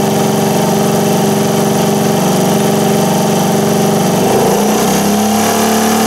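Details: 1978 Indian moped with a four-stroke single-cylinder petrol engine, first run after fitting the air cleaner, choke on: ticks over smoothly with a steady beat, a brief blip of revs, then settles back; healthy normal idle.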